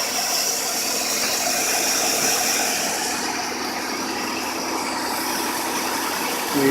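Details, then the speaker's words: 2006 Buick Lucerne 3.8L V6 after water pump replacement: steady, even idle under hiss, no squeal, chirp or grinding from the front; earlier noise gone; normal idle. "let's see what we got looky there don't have all that noise this is great belts all turning everything looks good"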